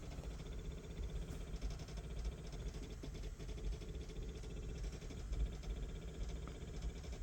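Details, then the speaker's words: 2008 Chevrolet Corvette C6, no crank, no start, no ECM communication, battery voltage fine: faint rapid buzzing clicks with engine off as fuel pump relay and powertrain ignition relay chatter; cause unknown. "What's making that noise is a fuel pump relay and the uh power for the powertrain ignition relay. It's like tripping out for some reason."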